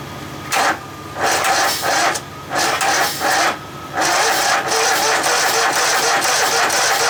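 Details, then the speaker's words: Poulan Pro small engine: repeated short cranking bursts that never catch; spark confirmed, owner suspects carburetor. "now well it's got spark so i know that's not the issue so probably have to dig into the carb"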